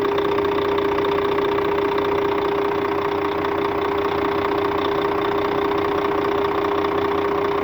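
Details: Scania K400 bus, DC13 13-litre 400 hp diesel at normal operating temperature: constant mid-pitched whine with a faint knock near 150 a minute over the idle; an abnormal engine noise, source not yet found.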